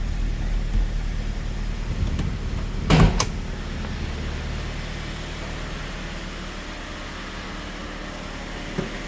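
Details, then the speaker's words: 2006 Mazda Miata, six-speed, 101,000 miles, salvage auction car that sat a while: complete cold start, low smooth even idle with a handling bang partway; motor runs smooth and healthy. "So, as you can hear, that was a complete cold start. The car's been sitting for a while, but the motor runs super smooth, so I'm very happy with that."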